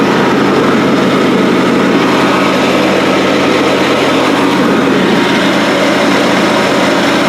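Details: John Deere D130 mower deck after replacing the noisy worn pulleys and spindles: steady even engine drone with the blades turning, no grinding or bearing rumble; the deck sounds healthy.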